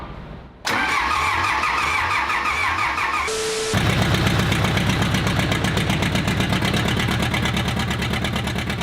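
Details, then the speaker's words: Old diesel engine, after hand-pumping fuel into the injection pump while cranking: catches right away and settles into a loud, raw, rapid clatter through an unmuffled straight-piped exhaust; oil found pretty milky afterward. "I don't know why they straight piped it, but >> I'm putting a >> smoke stack off Kenworth on it."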